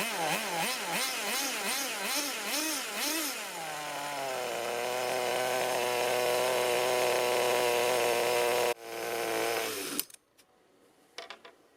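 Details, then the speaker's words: 16-year-old HPI RS4 3 Evo nitro RC car, first run in unknown years, carb reset to factory settings: revs blip and wander, then settle to a fast idle with a slightly uneven, burbly edge; smoky, oily, a little rough idle, likely rich. "so it was quite smoky quite oily a little bit of rough idling"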